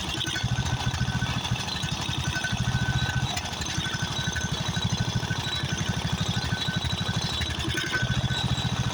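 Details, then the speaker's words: Craftsman riding mower, 13.5 hp Briggs & Stratton OHV engine, just after carburetor replacement: low, lumpy thumping with uneven beats at idle; rough running, owner suspects blown head gasket or fuel mixture needing adjustment. "the first thing got a blown head gasket but it could just be where I have to adjust the fuel uh to a mixture"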